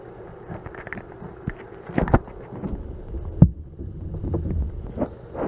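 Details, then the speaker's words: Homemade self-amplified speaker idle about 10 years, new speakers fitted: two dull low thumps as power is unplugged, showing the amp powers up, but no audio comes out, even from a receiver; fault not yet found. "that's to hear the thump so hopefully you hurt at least a second Thum that tells me that the amp itself is powering up"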